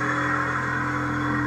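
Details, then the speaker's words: Small electric brake air compressor in a railway RPO/express baggage car, pressure let down below 80 psi: steady even hum, constant pitch, no knocks or rattles. Normal running. "i'll put the top on it so you can see this here it's not too bad you're going to hear it there's no way you're going to get around that"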